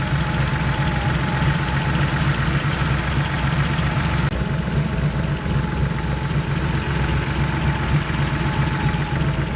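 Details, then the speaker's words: Porsche Carrera 3.2 flat-six at idle after oil change and valve adjustment, still warming up: even idle with light regular valvetrain tick about four per second, quiet and steady; valves definitely quieter, healthy. "valves are definitely quieter and I am still warming up so we will do the rest of the fill here soon"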